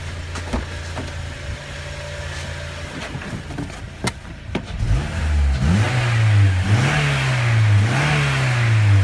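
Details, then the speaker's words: 2006 Acura TSX revved after replacing the failed ignition coil, check emission light still on: light clicks, then smooth, even rev sweeps up and down with no stumble. Normal revving, misfire fixed. "Yes! Fixed! Now I just gotta buy that thing so I can reset the check emission emission system light."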